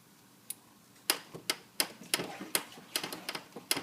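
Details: 2001 Suzuki GSX-R1000 making sharp, dry clicks and creaks in uneven bursts, roughly two or three a second, with no engine running; owner doesn't know the cause. Finding: creaking noise, cause unknown.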